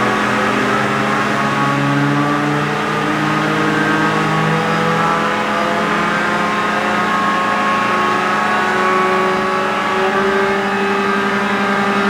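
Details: John Deere green F12-090 hydraulic motor returned for a customer-reported squeal, bench run at 2,000 rpm with no load: smooth steady hum with clean even tones, no knocks or grinding; normal.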